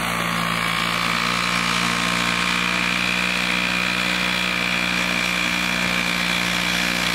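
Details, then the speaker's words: Vintage Toro 19-inch Flymo hover mower, running at about 3,700 rpm, kill switch fixed, mowing frozen grass in snow: steady high-revving two-stroke buzz at one even pitch, no misses or surging; normal running. "doesn't work that bad works good on frozen grass maybe you should use it in the winter time"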